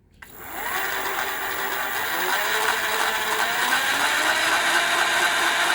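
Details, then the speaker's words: CY Gold 48V 500W BLDC mid-drive motor (about 4000 rpm) with reduction gearbox (260 rpm output), run dry without oil: loud rising whine with harsh gear buzz; noise from the unoiled gearbox, said to disappear once oil is added. "इसमें थोड़ा है आवाज आपको महसूस होगा क्योंकि इसमें oil अभी डाला नहीं है जैसे ही आप इसमें ऑयल डालेंगे इसमें फिर आवाज बिल्कुल भी नहीं आएगी मैं इसको सूखा चला रहा हूं"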